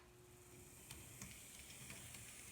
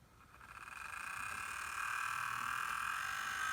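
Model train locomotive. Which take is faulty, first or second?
second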